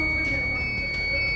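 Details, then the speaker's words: TVS iQube electric scooter, nearly two years old, switched off: shrill high-pitched electronic warning tone ("kee kee") sounds nonstop; scooter won't move when accelerator is given, a recurring fault. "ಇದೆ ಆಗೋಯ್ತು I cube ಅವರದು ನೋಡಿ of ಮಾಡಿದ್ರುನು ಏನೋ sound ಬರ್ತಾ ಇದೆ key key key key ಕೀಕ್ ಕೀಕ್ ಅಂತ"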